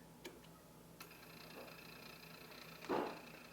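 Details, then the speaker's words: 1990s Yamaha KX-W262 cassette deck, deck B: pressing play gives light clicks and a soft thunk but no tape drive spin-up; owner suspects something sticks so the white gear won't catch, while deck A plays fine. "you know what things are happening things are moving but like it sounds like something's getting stuck and it's not letting that uh whatever needs to catch that white gear catch if you will"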